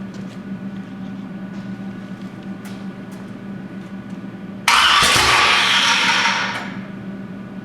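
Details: 427 big-block Chevy on an engine run stand, not run in a long time, first fire attempt: steady cranking drone, then a sudden loud burst that dies away; crank no-start, owner wonders if the firing order is wrong.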